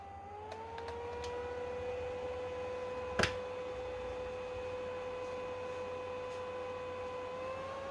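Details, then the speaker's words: PlayStation 3 CECHC overheating toward YLOD, fan control tool set to 30%: fan whir climbs and holds higher whenever CPU/GPU exceed 68 degrees; cooling fan speeding up due to overheating. "if it notices that the temperatures are higher than 68 degrees, the fan will kick higher, way higher than just 30%, because this tool wants to get the temperatures lower than 68."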